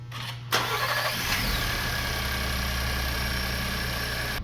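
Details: 2020 Ford Transit after replacing coil and spark plug on cylinders 2 and 6 for P0302/P0306 misfire codes, codes cleared: cranks briefly, catches cleanly, settles into smooth even idle with no stumble; engine healthy, no engine light on test drive.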